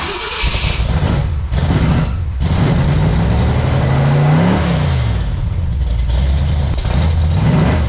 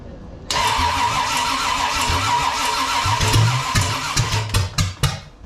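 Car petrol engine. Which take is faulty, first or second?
second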